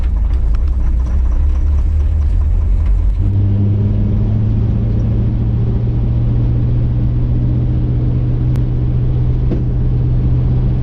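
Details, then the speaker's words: 1959 Chevy El Camino, first drive after 29 years off the road, accelerating. Steady engine drone with sharp cracks and pops over big bumps; a grinding noise on left turns, driveline noise mainly in second gear. The cause is a loose driveline carrier bearing with missing bolts. "So, when I was making lefthand turns and accelerating, it's making this huge grinding noise, but I can't see anything wrong with it."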